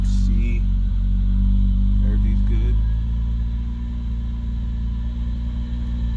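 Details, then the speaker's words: Hyundai Tiburon running on a MegaSquirt MS2 ECU, running a bit rich; engine hangs at a high idle with a lumpy uneven beat about four a second while idle control valve settings are still being adjusted. "I'm still messing around with the idle control valve uh settings"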